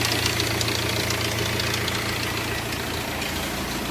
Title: Hyundai Verna timing chain noise